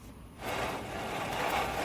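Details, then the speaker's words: 2007 Toyota Tundra 5.7L V8, 2WD, front hub spun by hand during bearing replacement. A rough, gritty rumbling scrape instead of a smooth spin; the other side was even worse, audible while driving: worn front wheel bearing. "hear that the other side was like super bad that's all you hear while you're driving"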